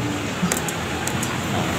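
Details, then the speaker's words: Vario Techno scooter, electric starter only clicks though kick-start starts it: a few light sharp ticks, about four in under a second, no cranking whir; mechanic says wiring and relay are fine, usual fault inside the flywheel magnet area (unconfirmed). "Jadi di starter bunyinya cuma cetek-cetek, tapi kalau di engkol mau hidup."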